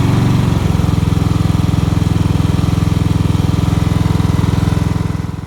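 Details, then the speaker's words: Cub Cadet XT1 riding mower, Kohler engine that shut off after starting, after fuel system flush, fuel line cleared, new fuel filter and carb bowl cleaned: even fast single-cylinder putter, steady without surging or stalling. Normal running. "now that the riding mower is running we're gonna want to prevent that from happening again"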